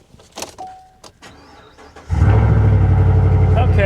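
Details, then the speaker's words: 2019 Chevy Silverado salvage auction truck: short crank, then a deep, loud, raspy idle roar far louder than stock; exhaust missing, catalytic converter suspected stolen, not confirmed; loud exhaust. "yeah there's exhaust missing for sure sounds like someone stole the catalytic converter off of it"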